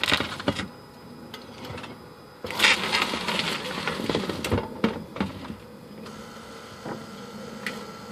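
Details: Lexus RX400h left front suspension: sharp, irregular pops and cracks persisting despite new lower A-arm and bushings, strut assembly, sway bar end links, left inner and outer tie rods and left CV shaft.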